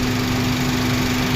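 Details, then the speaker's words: 2016 Volkswagen Passat B8 that started then stalled (fuel pump module control circuit low), after wiring repair: starts and idles with steady even hum, no misses; no fault codes, pump pressure normal. "Xoda düşdü. Heç bir xəta kodu yoxdur hal-hazırda. Avtomobil normal işləyir."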